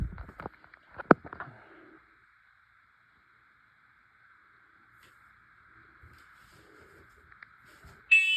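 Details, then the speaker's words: Detector tested on August 2: after handling clicks, steady high electronic tone for several seconds; alarm sounding, works. "Okay, it works. Okay, it works. Okay, let's go."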